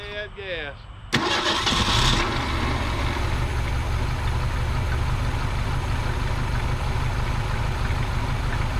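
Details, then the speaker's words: 1973 Ford Pinto Squire wagon, neglected for years, first start on old fuel with under a quarter tank while the fuel pump works. Engine settles into an uneven, lumpy idle with a wavering rumble; rough running. "engine's not running perfectly but it is running"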